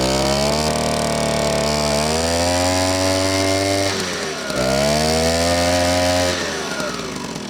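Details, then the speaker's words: Old moped, 5 years in a barn, old fuel, after replacing the spark plug and slightly adjusting the carburetor; buzzy two-stroke picks up cleanly through two blips and falls back smoothly; normal running. "Problem solved. So, yeah. Problem solved. So, actually what like I told in the beginning, usually it's the spark plugs on these old mopeds."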